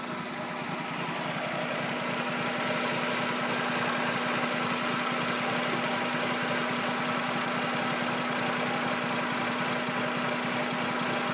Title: 96 Miata 1.8L rough idle